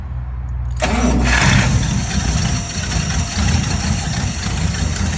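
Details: 1959 Buick V8 back to starting properly after wiring work, relay heard clicking beforehand: starter cranks briefly, engine catches cleanly within a second and settles into a steady, even idle with no misses; normal start and idle.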